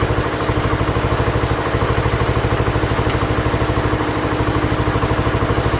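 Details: Ford LGT145 garden tractor, pulled from a parts yard, after head gasket repair and carb set to factory specs: fast, even putter with no misses or knocks; the petrol engine idles cleanly.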